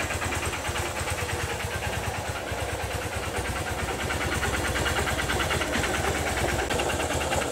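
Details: Honda Titan motorcycle at idle, recorded up close: a hard, regular tapping knock about two per second over the exhaust beat; noticed a week ago, owner suspects a knocking connecting rod (biela), unconfirmed.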